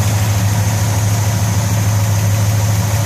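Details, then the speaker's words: 1964 Chevelle Malibu convertible, cold idle, oil pressure just under 40, 66 degrees at the water pump: steady, even low rumble with smooth lope, only a subtle hydraulic lifter tick, no exhaust leaks or smoke; normal cold idle. "oil pressure is uh just under 40. temps not coming up yet and sounds pretty good showing 66 degrees still at the water pump"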